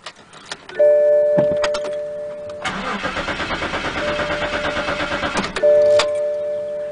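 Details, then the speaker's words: BMW cranks but won't start: even rapid starter churning for about three seconds with no firing; cause was a failed fuel pump relay, fixed by replacing it. "you hear that let's just crank but it [Applause] start this really [Music] sucks it won't want to start just cranks"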